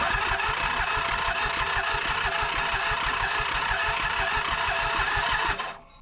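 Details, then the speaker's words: Toro Groundsmaster 223D diesel mower with low compression: steady cranking about three beats a second that never catches; severe blowby, engine needs a rebuild or at least rings and a hone. "Yeah, this thing has severe blowby. Well, guys, I gave it the old college try, but with those compression numbers, there's just there's no luck for this engine."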